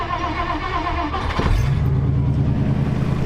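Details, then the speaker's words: 1959 Plymouth Fury V8, prepared for a 3000-mile road trip with a Chrysler alternator fitted, fired up: catches after a brief crank and settles into a smooth, even idle with a deep steady burble, no knocks or misses; runs well, normal idle. "Man, it runs so good. It does."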